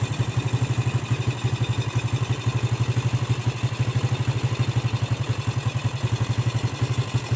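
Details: Yamaha Jupiter Z motorcycle engine after rebuild to cure a rough engine noise; even, steady idle of about a dozen pulses a second with no knocking or rattle, now smooth: normal idle.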